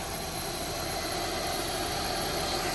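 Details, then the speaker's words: Honda S2000 with Kraftwerks Rotrex supercharger, after converting from cogged belt to ribbed serpentine belt with same-size pulley: soft steady hum without the sharp whine the cogged belt had; supercharger noticeably quieter, no belt whine. "Immediately you could hear that changing to the rib belt, the noise is a lot quieter from the Supercharger."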